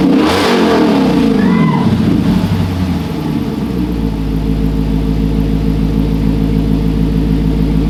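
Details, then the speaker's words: Car back running after over two years sitting, with the exhaust only partly installed and driveshaft not yet fitted: deep, strong V8 revs rising then settling to a steady, even rumble, no knocks or misses; normal revving. "Don't even have the full exhaust on it. When I put the full exhaust on it, man, it is super quiet."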